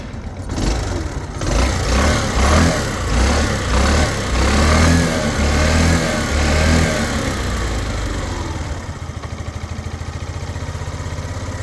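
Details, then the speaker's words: Yamaha Vino 125 scooter after carburetor cleaning, fresh gas, new battery and spark plug, started after sitting five hours: catches, revs up and down cleanly, settles into steady idle; normal running and revving. "That is just awesome. It's got fresh gas in it. New battery, new spark plug."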